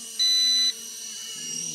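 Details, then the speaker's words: RC Era C189 after its barometric sensor mounting was repaired, throttle worked gently in altitude hold. A high motor whine jumps louder for about half a second, then drops back to a steady hum: an uncommanded upward surge. "It like wants to go up abruptly, and I'm kind of releasing because this throttle has a spring to it."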